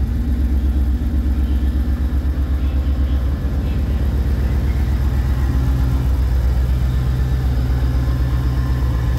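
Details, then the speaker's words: Ford Mustang V8 lacking power: heavy, uneven idle rumble with a repeating stumble about four times a second breaking the V8 beat; misfire at idle, spark plugs not yet checked. "ahí se escucha cómo está fallando."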